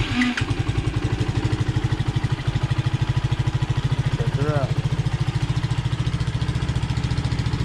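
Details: Honda CT70 (Rocky Amigo 125) cold start after fitting a 26mm PZ26 carburetor, large intake manifold, 42mm pod filter and new fuel petcock: steady, even single-cylinder putter about seventy-five beats a minute, holding idle cleanly while cold; runs normally.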